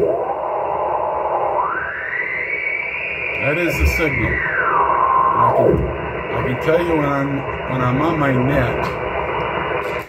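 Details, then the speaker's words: Ham radio on 20 meters, heard through speakers: over hiss a tone glides up, holds, drops away, then warbling chirps; interference repeating every 29/58 kHz drifts slowly through the 14.300 MHz net frequency, sometimes vanishing; enters via antenna, source unknown. "it's not fixed but it does move very slowly down and sometimes it moves very slowly up and goes right through the middle of us and sometimes it just disappears and then comes back"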